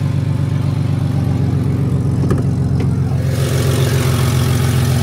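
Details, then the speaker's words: Ford EF wagon, 277,000 km, running on gas (LPG). Idle with a rhythmic puffing chuff that gets louder and hissier as revs rise; an exhaust leak. "a bit of an exhaust leak it is on gas which kind of sucks but looks like it's been well looked after"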